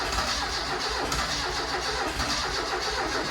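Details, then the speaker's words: Barn-find Ford Escort RS Turbo Series 2, stored a long time, fresh gallon of petrol added, battery charge uncertain, plugs not yet checked: steady cranking with ragged, uneven firing that never catches. Crank-no-start from fuel starvation. "you can hear it firing it's going it's trying to start but it has been sat there for all that time"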